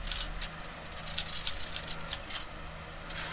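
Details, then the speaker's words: Removed clutch disc from a 2005 Toyota Tacoma X-Runner, 4.0 V6 with 6-speed manual, shaken by hand: loose, uneven metallic rattle, more than it should make; the disc was worn close to the rivets in spots. "here is the clutch and pressure plate you can see it was getting pretty close to the rivets on certain spots and you can hear it rattling around pretty good it shouldn't be making that much noise"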